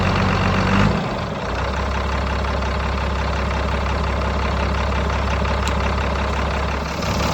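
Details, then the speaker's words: Diesel donor powertrain with 5-speed transmission, about 1,400 lb, for a 3500 build: steady, even low rumble with no knocks or misses, slight smoke of unknown cause, good oil pressure; normal idle. "It's got a little smoke to it. Sounds good. Sounds filthy. We'll figure out why it's smoking a little."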